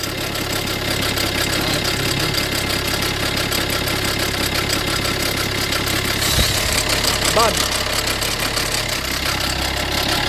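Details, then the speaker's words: Fiat 500L petrol engine idling with a loose, busy metallic rattle, engine and oil pressure lights coming on at times; diagnosed as timing chain, possibly oil pump chain snapped. "because uh the thing is this is timing change yeah and obviously you can hear the noise coming CH"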